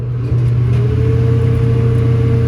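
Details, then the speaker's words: Restaurant belt-driven hood exhaust fan motor on the roof, switched on from below: a deep steady hum with a slowly climbing tone, never reaching speed. Struggling to start; a faulty switch or worn sealed bearings are suspected. "Ooh, did you hear that? It's trying."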